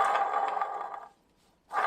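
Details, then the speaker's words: Jaguar XJS V12 water pump, removed during a cooling-system teardown and turned by hand: loud rough gritty growl with every turn that stops when it stops; the pump bearing is badly worn. "Now that's a really bad water pump."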